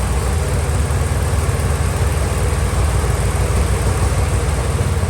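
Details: 1969 Chevelle being revived, V8 fired with a second, long-shelved replacement carburetor: deep, even low rumble with no misses or stumbles, sounds much better. Normal running.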